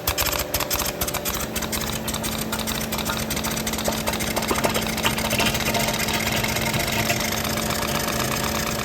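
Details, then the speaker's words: Caterpillar 226B skid steer with no drive or hydraulics, diesel running: harsh uneven gritty rasp and rattle, owner suspects pump-motor coupling grinding the plastic away; not yet confirmed. "I would start it but it makes a bad noise it sounds like it's grinding the plastic away but we'll soon find out"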